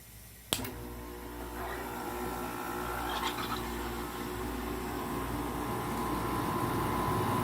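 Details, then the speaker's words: GE 5,150 BTU window air conditioner with LG compressor, first compressor run after sitting a long time: click, then a steady hum and even whirr, pleasant sounding, but the owner suspects a lubrication issue, not confirmed. "it's a nice sounding compressor sounds like it might have a lubrication issue"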